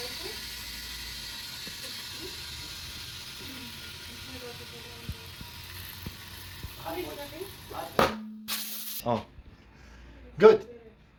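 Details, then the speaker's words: Car tubeless tire being reinflated after valve replacement for a slow leak: steady air hiss, then sharp loud pop and bang as the bead seats on the rim. "when you hear that sound that means the tire is set it's good now it's time to put this uh back"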